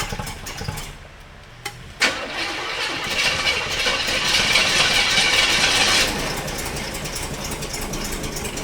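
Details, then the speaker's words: 1985 Chevy K30 CUCV with a swapped engine on its first start, fed by an electric fuel pump: a sharp backfire crack as it catches, then a rough, loud rev settling into a steady clatter, with lots of smoke. "Backfire good. >> Yeah. [Music] Whoa. >> Big fire."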